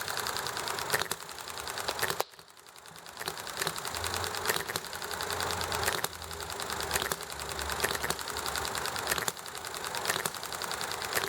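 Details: Small Enjomor hit-and-miss engine running nicely, with highway traffic and chatting in the background: sharp firing pops about a second apart, coasting quietly between; even, normal hit-and-miss running.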